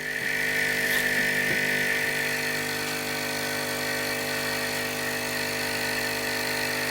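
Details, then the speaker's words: Hailea ACO-318 45 W air pump for diode laser air assist, running with a short garden-hose piece fitted to the intake: constant smooth hum and steady high hiss, the aggravating bass tone gone; quieter normal running. "you may not be able to hear it but the base tone that seems to aggravate my ears has gone"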